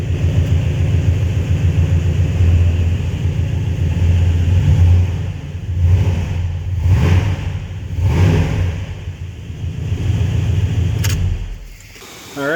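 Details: Flatbed truck with freshly installed spare 5.9 Magnum V8 (replaced high-mileage engine that was knocking), first short startup to prime, good oil pressure, no check engine light: V8 burbles low and steady, swells through a few quick blips, settles back; healthy, clean revving.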